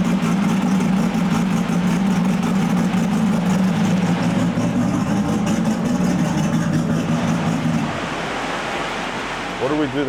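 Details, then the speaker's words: RB-engined race car with twin CDI boxes: loud, rough pull with uneven stumbling beat, then drops away; one cylinder misfiring under load, compression over 100 rules out compression or valves, plan to swap CDI boxes to see if it moves. "Switch the boxes around and see if it moves to another cylinder."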